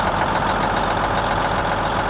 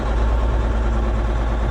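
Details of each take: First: Versatile 2360 tractor with Cummins N14, after replacing the failed number 5 injector: steady, even diesel idle, constant low rumble, no misfire or stumble; normal idle. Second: Versatile 2360 tractor, Cummins N14 rated 360 hp, idling: heavy shaky uneven low throb, belts squeaking, cab shaking; customer suspects a sticking injector with mist, later traced to failed number 5 injector.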